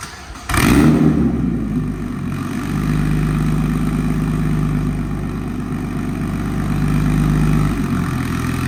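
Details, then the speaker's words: Single-turbo BMW 335i E90 manual, 10 lb wastegate spring, after repairs to run correctly; cranks briefly, catches cleanly, settles to steady even idle with no stumbles or misfires, running much smoother. Normal start and idle. "She's running a lot smoother now. No hiccups, no misfires, clean log when I did the wastegate only."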